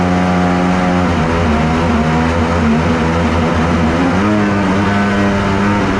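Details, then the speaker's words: Kawasaki 1100 triple two-stroke jetski engine in an aluminum mini jet boat, with added compression: buzzy drone wavering in pitch with uneven pops from the back, running rough. Cause unconfirmed; compression check planned. "I don't love how it's running I hear it popping back there"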